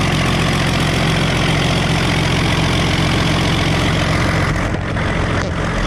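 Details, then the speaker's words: Early Case 930 diesel tractor, believed 1960, first start in 14 years: heavy, even diesel clatter at a steady idle with no misses or surging, though an occasional miss follows and there is no blow-by. Normal diesel idle. "That's idle speed right there. We're not missing on a cylinder. I think this thing's gonna be okay."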